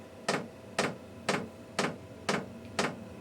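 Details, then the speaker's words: Newly installed diesel heater in a DIY truck camper, with the fuel tank and pump temporarily inside: sharp, even clicks about twice a second as the dosing pump kicks on while the heater lights; normal fuel pump ticking. "Makes it easier to replace it if it ever goes bad too. Yep, there goes the pump."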